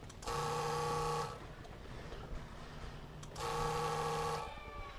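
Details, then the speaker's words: 1997 PCM engine in an MB Sports Boss LS210 ski boat, after replacing the Fuel Control Cell filter to cure stalling; ignition cycled, two separate one-second steady buzzes, sound changing, possibly as it fills, no leaks; normal fuel pump priming. "It's doing something. Okay, I don't see any leaks yet. Maybe it's filling up. The sound's changing."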